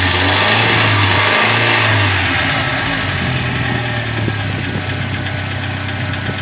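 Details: Corsa engine idling with a fast, even ticking of about four a second from hydraulic lifters slow to pump up; the cause given is a dirty oil pickup in the sump.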